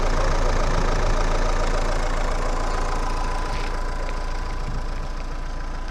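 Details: Renault Megane 2 1.9 dCi after repair of a no-start (rail pressure only 2–4 bar; broken-shaft high-pressure pump, timing belt, tensioner replaced): starts easily, no smoke, even idle clatter about four beats a second, no misses or knocks; normal diesel idle.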